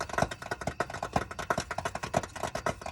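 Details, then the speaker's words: 2021 Coachmen Beyond AWD Ford Transit 350 HD van at about 3000 miles, just shut off after a 35-mile drive: sharp, uneven popcorn-like pops, several per second and going on for a while; source unknown. "this was not a ticking this was a popping sound like popcorn and it was consistent it went on for a while"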